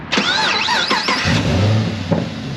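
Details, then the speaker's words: 2011 Chevrolet Camaro 2SS Synergy Edition, 400 hp L99 6.2L V8, 6-speed automatic, 12,487 miles, cold air intake: brief crank then fires right up into deep even idle, no knocking or weird noises; healthy cold start. "6.2 liter fires right up. No knocking, no weird noises."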